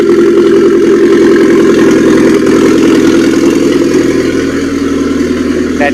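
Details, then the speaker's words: Mitsubishi Airtrek Turbo R replacement engine (85,000 km, from a halfcut): smooth, even idle, steady low hum, no knocks, ticks or miss, good compression, no smoke, revs up cleanly; healthy. "rev it a little bit upm goes up and okay engine sounds good everything spinning well vibration is good"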